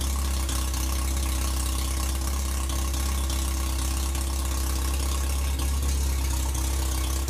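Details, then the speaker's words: 1947 MG TC XPAG engine on its first proper run after about 40 years laid up, with a new carb-to-carb fuel line, radiator filled and a temporary exhaust; steady, smooth idle with no misses but running a little high. "looking good we'll have put some uh water to it fix the fuel line and uh seems to be idling a little bit on the high side maybe we can work that out"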